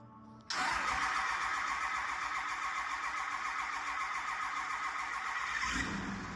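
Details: 2006 Cummins diesel pickup after a no-start, with intake refitted and fuel system primed via the lift pump: engine catches at once and settles into a loud, steady run with a rough hiss on top, starting and running normally.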